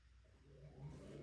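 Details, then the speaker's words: GE washer in diagnostic test mode, running the inverter test (also checks water valve and door lock): quiet smooth low motor hum rising as the drum turns, no grinding. Inverter and drive motor are good; normal drum rotation. "Inverter's moving. You can hear the rotation."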